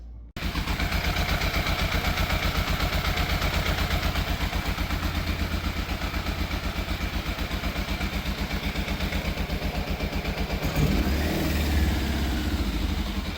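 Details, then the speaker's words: Fire-damaged Yamaha FZ750 with cleaned carbs and choke confirmed fully off: idle thumps about four per second, uneven and lumpy with dropped pulses, a misfire. Carburettors suspected, to be stripped and ultrasonically cleaned. "I got it to idle about as best as I can for the time being. Still sounds like it's missing a bit. So it's definitely still an issue."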